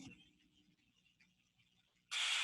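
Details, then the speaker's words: Steam trap heard through an ultrasonic detector headset: near silence, then a sudden sharp hiss as it opens, closes, reopens and recloses, normal cycling, unlike a failed trap's continuous flow. "Il rouvre. Et il referme. Voilà pour un purgeur qui cycle."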